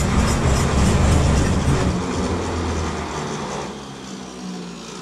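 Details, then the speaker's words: 1951 Chevy pickup inline six, previously seized and unused since 1976, pickled with ATF in cylinders: starter labours, heavy even chug about three to four beats per second, cranking too slowly, needing a 12-volt boost. "pretty much feel i have to give her the 12-volt bump because she's not turning fast enough"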